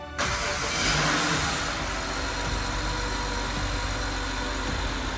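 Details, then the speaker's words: BMW E60 535i twin-turbo N54 inline-6 first start after full rebuild, reseal and turbo install: catches right away, smooth steady idle with normal injector tick, no rattles or knocks. "It lives. It's running. That is the best sound in the world. The engine is settling into a beautiful smooth ice. The sound is perfect. No rattle, no knocks, nothing scary, just the smooth hum of a BMW inline 6."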